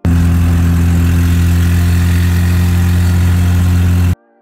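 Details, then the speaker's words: Mazda RX-7 rotary 13B, freshly rebuilt and tuned, after detonation in test hits: loud, throaty, raw unmuffled idle from a blown exhaust manifold gasket, chunk missing, delaminated at rotor 2 and split; also fuel in oil. "This is essentially the exhaust manifold gasket. You see that chunk missing? See, that used to be there. Got blown out."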